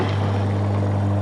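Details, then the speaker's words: Toilet macerator running after reassembly, steady low motor hum with faint rattle and clicks near the end; foreign object still inside the macerator unit after something was dropped down the toilet. "Right then, that noise told me that there was something a little bit more inside that macerator unit."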